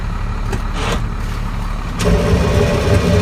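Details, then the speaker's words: Truck (possibly a Ford 8000) after shimming the PTO with extra gaskets: steady idle, soft clunk as power take-off engages, no gear whine; earlier throwout-bearing-like whine with clutch out is gone, engagement normal. "beautiful that's exactly what we want"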